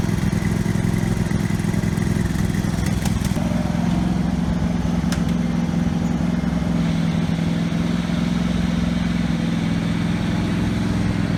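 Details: Husqvarna 48 GLS lawn tractor, formerly racing out of control, now governed by the high-speed spring alone with the idle screw setting minimum speed. It holds an even, steady speed with no hunting or surging, though it surged at other times.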